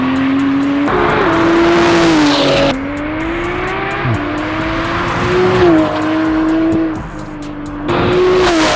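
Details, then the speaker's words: Porsche 991.2 911 Turbo S with newly installed custom headers and catless titanium exhaust, on a test drive: loud clean note climbs through each gear, drops on shifts, climbs again, no misfire or rattle. Healthy engine and exhaust under acceleration. "the car is quiet when it's in its lowest settings when it needs to be obnoxious it really is I like the fact that we could turn it up when we need to so all in all I really rate this exhaust"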